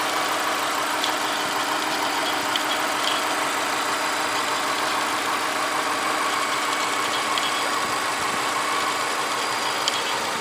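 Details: 2006 2.5i JDM car at idle: even idle with a loose, uneven ticking about three per second, an odd mechanical noise of unclear source; abnormal noise at idle.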